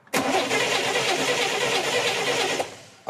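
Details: Car cranked after swapping leads and checking spark gives steady, even cranking for about two and a half seconds and never fires; a crank-no-start, cause unconfirmed.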